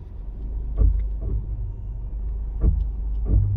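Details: Volkswagen Taigun top-line automatic, new car, rolling to a stop: deep rumble with repeated low creaking groans about every second, a brake and low-speed rattling noise the owner reports as common on 1.0 automatics; brake groan at low speed, cause unclear.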